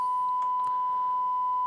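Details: Rotel RA-985BX integrated stereo amplifier: steady mid-pitched test tone clean and unwavering, no crackle, hum or distortion, while checking the tone controls, which work fine.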